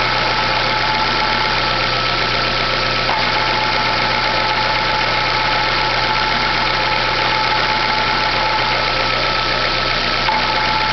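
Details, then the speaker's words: 2010/2011 Chevrolet Classic at idle: a persistent whirring, rattly noise that disappears with the clutch pedal pressed and returns when released. The clutch release bearing was already replaced and the noise persists; cause unknown. "Quando eu aperto o pé da embreagem, o barulho some. Quando eu solto, ele volta. Já foi trocado o rolamento de embreagem, e esse barulho continua."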